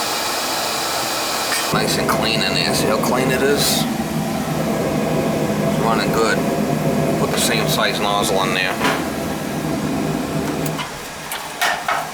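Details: Utica TriFire oil boiler burner after service, fired with jumper: lights off with steady even roar and low rumble, no pulsing or surges; clean, healthy firing.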